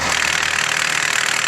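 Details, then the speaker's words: Manual car with clutch pedal pressed at idle: dry fast rattling chatter that disappears when clutch is released; gearbox oil free of metal filings; worn dual-mass flywheel. "¿Qué tal, amigos? En esta ocasión tenemos un vehículo que, como logramos observar en el video, sale un ruido al pisar el clutch y desaparece al soltar el clutch."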